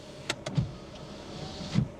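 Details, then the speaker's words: Honda Jazz, 138,000 miles, rear power window: a few soft clicks then a low, even motor hum; normal operation. "What about the rear? Ah, that actually works."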